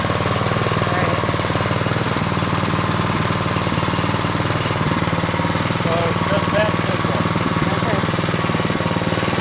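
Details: Troy-Bilt Storm 2840 snow blower single-cylinder engine with choke off: fast, steady putter at constant speed with no stumbling or surging; running normally.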